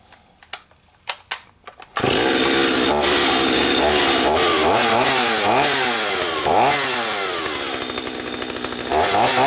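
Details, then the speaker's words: Stihl 025 chainsaw after carburetor and fuel line replacement: a few pull-cord clicks, then fires and runs strong, revving up and down cleanly and evenly; healthy two-stroke, normal running. "Runs great."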